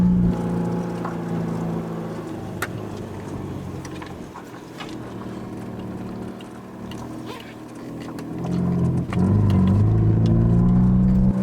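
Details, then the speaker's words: Mercedes W124 project car with manual gearbox: deep loud drone swelling heavily under throttle as the engine struggles and cuts out; cause unclear. "Now this one actually cuts guys, I'm not that bad of a driver, but the car is the one that can be blamed. You can hear how she roars."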